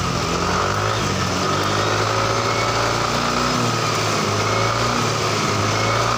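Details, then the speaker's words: Yamaha NMAX scooter, previously would not start and died suddenly, after repairing poor socket connections and a loose wire: steady even single-cylinder idle with light buzz, no knocks, misses or rattles; running normally. "untuk sementara mudah-mudahan bisa tahan lama jadi Motornya nggak ada masalah"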